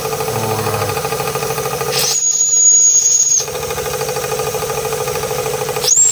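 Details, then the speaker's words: Märklin 16051 twin-cylinder steam engine, still running in (third or fourth run), original burner: quick steady chuffing with sharp high hiss bursts as safety valve lifts; normal running with safety valve lifting. "Yeah, the safety valve does what it's supposed to do when it's supposed to do it."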